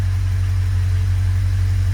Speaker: yeah the car is look at that a nice smooth idle